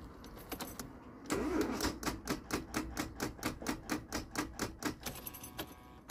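Rapid dry clicking about twice a second with no cranking; the battery is too flat to turn the starter.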